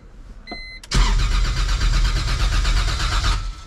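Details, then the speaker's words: E46 BMW M3 with a 1.5JZ engine swap, first crank before a base map is loaded: steady, even starter cranking at a quick beat with no start. "It cranks! Now we just gotta get the base map on this thing and hopefully it fires up. But it cranks nice."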